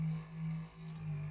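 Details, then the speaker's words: Noisy computer power supply fan powered up with the unit in place: a steady low droning growl like an old refrigerator, with a wavering hum, loud enough to vibrate the desk. The fan bearings are very dry. "Thing sounds like an old refrigerator. So this is obviously a mechanical issue, so the bearings in the fan are dry. Very dry."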